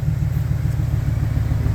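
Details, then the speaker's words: 2008 GMC Sierra 5.3L misfiring on cylinders 1, 4, 6 and 7 from collapsed valve lifters that keep valves closed: uneven, lumpy idle with a stumbling exhaust beat, smoking; the fix is replacing the lifters and blocking cylinder deactivation. "like this one is MF firing me it even smokes"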